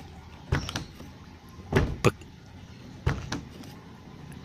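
A few soft, muffled thuds with no rattle or metallic clank; the door shuts smoothly and latches quietly.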